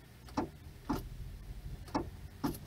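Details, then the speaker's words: Ford Tempo, automatic, key in park/neutral: single light clicks about every half second, no cranking; current reaches the starter relay but the starter solenoid isn't engaging, intermittent no-start. "el tic tac ese tic tic señores es cuando se conecta el que sí que la corriente se está pasando de aquí del switch está pasando directamente al relay a la pastilla de encendido y la pasión encendido está actuando y está mandando supuestamente corriente al solenoide de la marcha pero el problema es que el sol en hoy de n"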